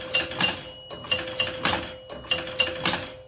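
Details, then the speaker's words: 1977 Gottlieb Bronco pinball after cleaning score reels and adjusting relay switches: crisp relay and chime clacks in pairs and triples as score reels step and carry thousands over to 10,000s cleanly, nothing sticking. "thousands work now too let's uh let's score some thousands and make sure they carry over to"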